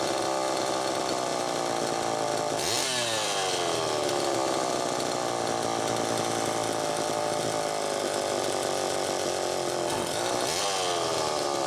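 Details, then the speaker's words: Homelite Super EZ two-stroke chainsaw test run after a repair, with the high-speed needle reset to one turn open (was four turns out). Screams high and thin, sagging and recovering with crackle, running lean. Carburetor was faulty; crankshaft seal suspected bad. "okay it's easy to be deceived into thinking that it was good to go there that's part of why i ran it a little extra time that carburetor had a problem but i also believe that the crankshaft seal is bad"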